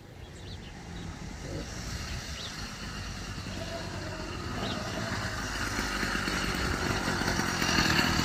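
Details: Small two-stroke motorized bicycle kit engine after a fix for engine noise, at idle: a steady, even buzz that builds gradually with no knock or tap; it sounds healthy.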